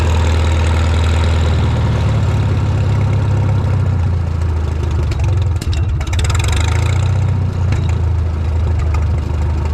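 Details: Shop tractor, either the John Deere 4020 or the Farmall Super M, just started with choke and throttle levers and driven outside. It gives a deep, steady low rumble at an even idle throughout, with no misses or knocking. Normal idle.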